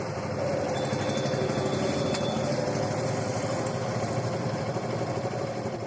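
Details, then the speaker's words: Suzuki Gixer motorcycle at idle after repair, with the timing chain tensioner refitted and tightened: an even, steady, quiet idle with no ticking or rattle. The earlier loud engine noise is gone. "तो अभी हमारा sound proper है और इसका जो बहुत ज्यादा आवाज कर रहा था वह आवाज भी नहीं करेंगे"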